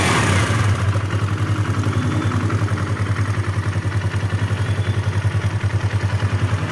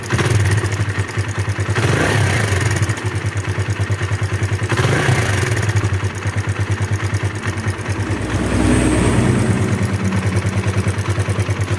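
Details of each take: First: Kawasaki KLX 150 single-cylinder after valve adjustment check, idling with an even, steady low thump; the earlier rough top-end rattle is gone and it now runs smooth and quiet. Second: Kawasaki KLX 150, fairly new from the dealer, single-cylinder idling with a rough metallic clattering tick, "kletek-kletek"; cam chain tension and valve clearance to be checked, loose cam chain suspected; engine described as rough.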